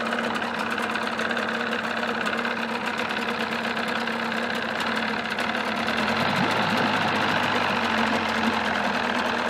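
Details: 1979 Evinrude 35 hp two-stroke outboard running in a test barrel with the cover on, during sound-deadening trials: loud, even drone at steady speed, no knocks, misfires or rattles; normal running.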